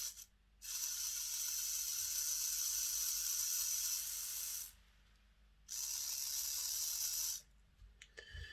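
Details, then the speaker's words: Hornby R066 Duchess of Sutherland model loco motor, eBay non-runner, freshly fitted new brushes and springs, bench-run on battery before oiling: bursts of high, even whir, motor spinning freely and steadily; normal motor run. "that works nice permanent smell of brand new brushes"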